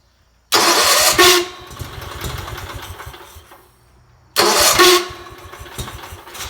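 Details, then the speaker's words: 1977 Sears 16/6 tractor with an Onan engine, after carb rehab, new plug wires, new starter solenoid and swapped points: two harsh, ragged cranking bursts, each fading into an uneven run. The starter sounds rough and labored, but the engine catches. "Starter's not the greatest sounding"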